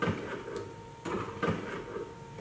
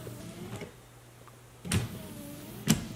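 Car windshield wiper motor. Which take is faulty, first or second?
first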